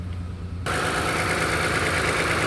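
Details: Engine idling with a lumpy, uneven beat and a periodic stumble under the steady hum; a scan tool diagnosis reported a cylinder misfire.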